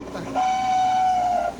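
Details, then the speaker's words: Refrigerator making a strange noise for days: steady high squeal of about a second traced to the fan, from a dry, stiff motor bearing. "mi refrigerador tiene un sonido raro todo el día se le ha pasado ya lleva días"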